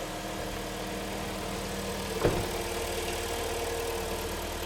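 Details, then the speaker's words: Kia Sportage 3 (in use since 2012), AWD automatic, 180 mileage, with scored cylinders and piston knock, just started after antifreeze fill: smooth, even idle with a steady low drone and one brief bump; it seems to run normally. "запустилась А как будто как будто не глуши вроде нормально работает"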